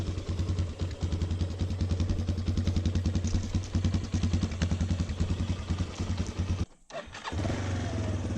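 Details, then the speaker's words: 2006 Yamaha Raptor 350 single-cylinder ridden, choke on; hard-edged thump about 2.5 beats a second, knock mainly in first gear, sounds like crank, owner suspects transmission: knocking noise under load. "It runs great, but the transmission is making that knocking noise."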